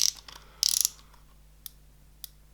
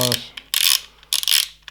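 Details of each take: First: Shimano Ultegra 14000 XSD reel fast drag system: quick burst of fine ratchet clicks as the drag knob turns, then a couple of isolated ticks; crisp, even clicker action. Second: Shimano Ultegra 14000 XSD reel rotating: repeated dry scraping bursts about every half second; noise comes from the line spider/line protector, much quieter without it; replacement protectors ordered, cure unconfirmed.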